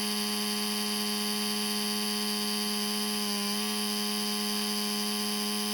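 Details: Laptop cooling fan suddenly became noisy, with the CPU overheating and shutting down: a constant buzzy whine at a steady pitch, far louder than normal; cause unknown.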